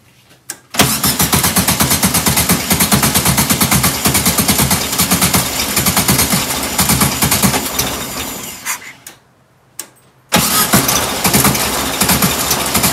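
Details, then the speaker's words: 1967 VW Karmann Ghia air-cooled engine, abandoned 45 years in a barn: fires up, chatters unevenly for several seconds, fades and stalls, then catches again. Owner suspects the mechanical fuel pump isn't pumping and it's running only on fuel poured into the carb bowl. "i don't think the pump's working i think we're just running off of whatever's in the carb here"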